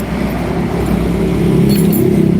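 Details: Single-cylinder motorcycle after a shop rebore and new piston, hard to start cold: harsh, clattery, rough running because the piston was installed backwards.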